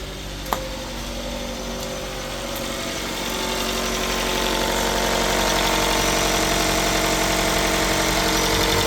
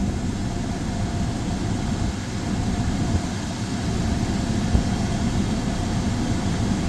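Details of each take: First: 2015 Chrysler 200 started after sitting over a year (parked for suspected parasitic draw or starter issue): just after start-up the idle is uneven and lumpy, then rises and smooths out; rough idle probably from old gas. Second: 2015 Chrysler 200 shortly after restarting from over a year parked, idling with AC on and cooling: even low idle hum with a faint steady AC whir, no misses or knocks; normal idle.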